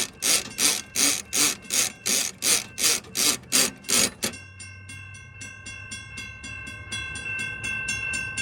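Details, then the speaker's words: Model 3590 railroad crossing gate mechanism with its bottom screw out of adjustment, spacing the pawl too far from the toothed ratchet wheel so it cannot hold the gate up and slides; loud rhythmic pumping about three times a second, then a ringing bell. "The wheel right here has teeth on it. And there is a component that grabs a tooth of that gear to keep the gate up. And if this is spaced out too far, it'll cause it to slide."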